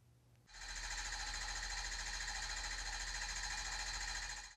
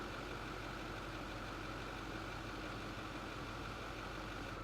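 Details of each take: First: 2008 Ford F-250 6.4L Powerstroke diesel with low power and rough running, cylinder 3 slow on balance graph, relative compression test: steady cranking, every stroke equal strength; compression even, leaving cylinder 3 injector as most likely cause. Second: 2008 Ford F-250, 6.4 L Powerstroke diesel V8, complaint of low power and rough running: dense, clattery idle with slight unevenness; power balance test shows cylinder 3 running slower, possibly injector, valve or piston; rough idle from cylinder misfire.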